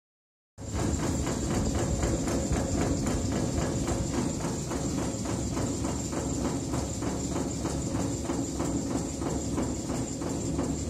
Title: ET21 - uszkodzone łożysko wentylatora nr 2